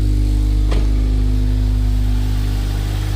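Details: 2006 Honda Civic Si K20Z3 first start after installing a Mercracing TVS-1900 supercharger and loading a tune; smooth low idle, even firing beat, faint steady belt note, no knocks or misses: normal idle.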